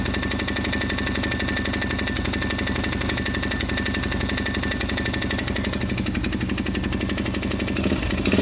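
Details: 2005 400EX quad about 10 hours after a complete engine rebuild: a rapid, hard metallic knock throughout idle; timing chain has some slack, and the owner suspects main bearings damaged by dirt past the K&N air filter, unconfirmed.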